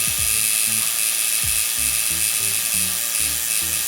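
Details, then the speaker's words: Aurora 2 digital tattoo power supply (Critical Atom X clone) in single-machine setup, running a tattoo machine. The buzz is uneven, jumping between pitches instead of holding steady, taken as a sign of a poor power supply that could ruin the machine. "I can hear that the buzzing isn't steady, like it's not, it's like immediately that's a sign that it's not a very good power supply."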